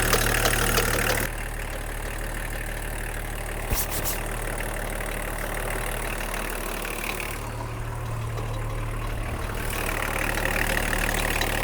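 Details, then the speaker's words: BMW E34 diesel, just started after refuelling: idle with an uneven low throb about three beats a second, wavering in strength; running rough with a miss, air bubbles seen, air in the fuel suspected. "Something, it's not. No, it's getting a miss."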